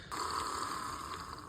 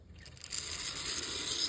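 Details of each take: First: Custom L&N F unit model train locomotive from vintage collection, on transformer: steady, even motor hum at constant pitch, no rattle or stutter; good runner, normal running. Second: Vintage L&N F-unit model locomotive from a second-hand collection running with a dry, gritty rasp and rattle over the motor hum. It is suspected to have sand or loose debris in the gears, but it runs.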